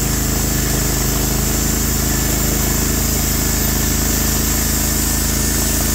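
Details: Norwood HD36v2 bandsaw mill, day two testing new roller guides (ceramics replaced), slabbing big black oak through bark, about 24 inches wide: steady even engine drone pulling down only slightly under load; effortless flat cut, motor loaded normally.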